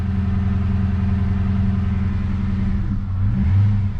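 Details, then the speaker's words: Manual Holden Commodore SS on a lift; revs held at a steady raised speed, then sag and waver as throttle eases, won't idle alone; owner suspects a dead alternator giving no charge; stalling at idle. "but I think if I let the car idle it just dies but let's see if it idles yeah it just goes to shut off I think it's got no charge so I got to hold the revs"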